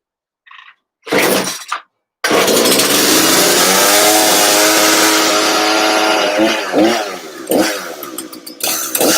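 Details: New Husqvarna two-stroke chainsaw, first start with fresh fuel mix, primer bulb pumped and choke on then off. Several pulls, then catches and runs with a buzzy two-stroke note that climbs and blips cleanly; healthy start.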